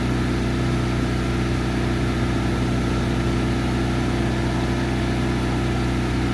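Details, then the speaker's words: Hobart Champion Elite 225 welder generator after replacing the idle solenoid: engine holds a firm, even drone at high idle with no hunting or surging; before, it took about 10 seconds to idle up. "Man, at the last job I went to, it would take like 10 seconds to go into high idle, and I just ended up leaving it on high idle for the on run for the entire day because I just couldn't."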